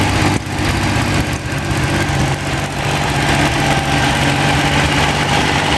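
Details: Freshly rebuilt Ferrari Dino 246 GT engine, fully restored and run on a small test stand before final installation, with oil pressure, water temperature and exhaust being checked: steady, even idle, smooth low thrum, no knocks or misses; normal idle.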